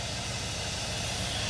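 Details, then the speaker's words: 2002 Chevy Avalanche 1500 with 5.3 LM7 V8, with new alternator. Even, steady exhaust rumble with a soft hiss and no misses or knocks; a healthy, smooth idle. "That's gonna help other people with their AC, but running good, man. It's running real good."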